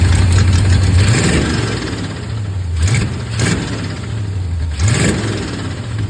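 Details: Chevrolet Camaro with small-block 350 V8: uneven, loping, choppy idle broken by a few short rev blips; owner unsure of the cause.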